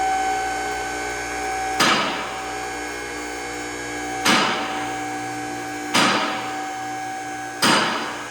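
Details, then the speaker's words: Challenger CL10AV3-2 three-phase lift, arms set on a Volvo 850 T-5R's lift points: even electric motor hum while raising, sharp metallic clack about every two seconds as the automatic safety locks engage, working normally. "Yeah, you'll hear the locks clicking. It's got automatic lock. You don't manually lock anything as you raise it. They automatically lock, which is really nice."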